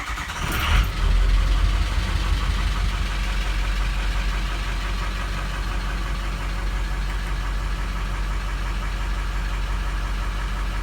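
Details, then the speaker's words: Ford 6.0 Powerstroke diesel after 5R110 transmission solenoid upgrade and about 8.5 quarts transmission fluid: brief crank, then catches and settles into a steady, even idle with usual light clatter; starts and idles fine. "Sounds fine."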